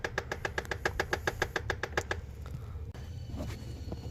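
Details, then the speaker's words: Nissan Frontier with the key on: the HVAC air-door (vent flap) actuator still clicks sharply about seven times a second for two seconds after a first fix attempt. The noise comes from a vent door, and replacing its motor is suggested as the proper fix. "como pudieron ver seguía sonando lo que había puesto todo"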